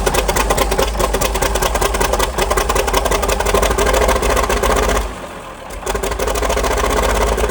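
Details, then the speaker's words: 1947 Cletrac FDE diesel crawler, first start after sitting many years, injection pump freed, fresh fuel; even rhythmic diesel clatter at steady idle with one brief dip, running smoothly despite water leak and missing fan belt; normal idle. "There she is, folks. Running like a charm."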